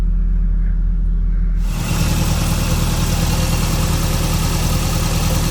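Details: Toyota MR2 just after an oil change with Valvoline Restore & Protect 5W-30 and a new Toyota OEM filter: quick catch into a smooth, steady low idle with an even pulse and no knocks or ticks. Oil pressure came up quickly.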